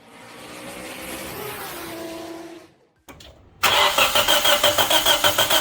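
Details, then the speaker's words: 2004 Nissan Pulsar N16 QG18DE, 120,000 km, unopened engine, rough idle and shaking under load: it cranks, catches and settles into a lumpy pulsing idle, about three beats a second. Misfire from a head gasket burnt between cylinders 1 and 2. "That's the reason why we have a uneven idle. Head gasket is burnt between cylinders 1 and 2."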